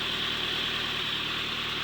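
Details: Toyota Corolla SR5 AE86 4A-C four-cylinder after head gasket, water pump, oil and coolant change; quiet steady idle under heavy hiss with even low hum, no misses or knocking.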